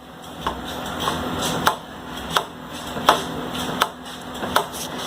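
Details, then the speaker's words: Hero Splendor Plus motorcycle with the engine and ignition off; sharp light clicks about every three quarters of a second as the throttle (accelerator) cable snaps back at the carburetor. Normal throttle cable click, not a clutch fault. "जो आवाज़ आती है वो तो actually सभी bike की आती है रेस देने की वजह से।"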